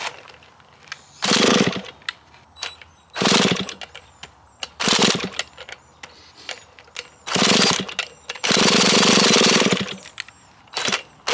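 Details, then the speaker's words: Stihl chainsaw bought as parts, started with a drill on half choke, smoky: revs in short raspy bursts then dies between them; keeps stalling, low fuel suspected. "Huh. I'm not sure why it's dying there. Maybe we don't have enough fuel in here."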